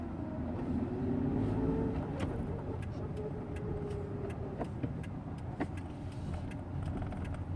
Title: Hyundai EON severe grinding sound during a low rpm